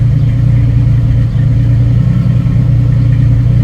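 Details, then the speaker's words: 1990 Jeep YJ 4.2L, 5-speed, after a new starter relay and ignition switch: a deep, smooth, even idle with no knocks or misses; it now starts easily and idles normally. "But at least now it starts nice and easy."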